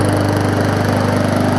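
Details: Neglected Bolens push mower with Briggs Classic engine after minor service with new oil and air filter, running to burn off smoke: quick, even single-cylinder putter at steady speed, no misses or knocks; running good.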